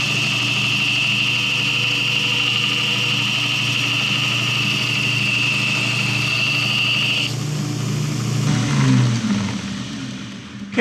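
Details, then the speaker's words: 2x72 belt grinder after a motor swap, on a new stand; steady hum with a high belt tone, rough grinding on metal, speed holds without bogging, belt crooked; normal operation under load. "it looks good it's working well um little grinding on there it didn't bog down"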